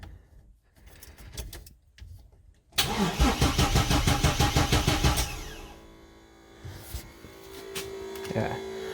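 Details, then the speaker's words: Chevrolet S10 (bagged truck) with stock fuel pump wiring: the pump doesn't prime at ignition-on, so the starter churns about three beats a second, sometimes for quite a while, before catching; the fault was a bad fuel pump relay. "well that's not the case you have to crank it like sometimes you gotta crank it like quite a while and then it'll [ __ ] start at the fuel pump"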